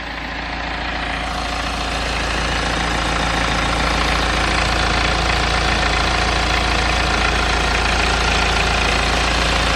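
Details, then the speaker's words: BMW N47 diesel at idle after replacing the four engine cover mounts: steady even clatter, no cover buzz or vibrating rattle; normal diesel idle. "I mean it is a diesel engine so you have got to EXP some shake but yeah definitely seems to sound a lot better now I can't hear the vibrating noise that what we was getting"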